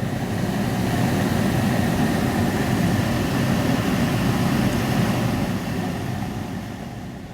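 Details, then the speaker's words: Removed heater blower fan from a 2010 Audi A3, which had gone stiff after the car sat unused for about a week. After being freed by hand it runs at full speed with a steady rush of air and no squeal or scrape: normal blower operation. "and now he's working well that saves me a load of money in a load of hassle"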